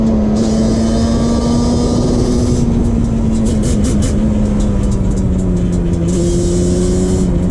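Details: 2001 Yamaha Banshee 350 two-stroke cruising on a POV ride after new clamps fixed an exhaust leak. Steady, crisp drone holds even pitch under wind noise, no puffing or ticking from the pipes; normal clean running.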